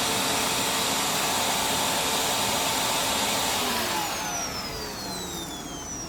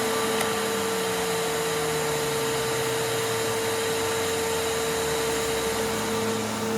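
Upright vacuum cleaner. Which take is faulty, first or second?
second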